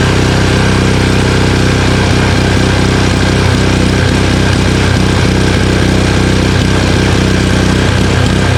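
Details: Honda Harmony HS520 four-stroke single-stage snowblower after carburetor clean and governor spring and idle screw adjustment: loud, steady single-cylinder drone holding one speed without hunting or surging; engine runs smoothly and evenly.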